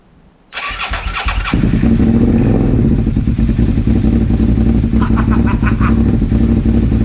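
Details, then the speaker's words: 2001 Suzuki SV650S V-twin, first start after valve shim adjustment and carb removal, on choke: runs rough and uneven with sharp pops breaking through idle; backfire from a vacuum leak, carb vacuum port plug fell off. "I know I'm going to be getting popping because of this. I may also have a vacuum leak somewhere."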